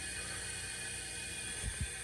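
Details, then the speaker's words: Bandit Trans Am V8 leak-down test, engine off, compressed air into a cylinder: steady hiss escaping from the crankcase vent, not the exhaust, as air gets past worn piston rings; severe leak-down on that cylinder. "Hissing out of the exhaust. Nothing out of that one. That's the sign it should come out of not come out of the exhaust pipe. Come out of the crank case, I guess."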